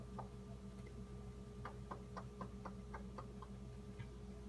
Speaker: that same evening march 6 2015 or march 5th 2015 it started making this knocking noise that you can hear here it happens several times a day for an hour and plus at a time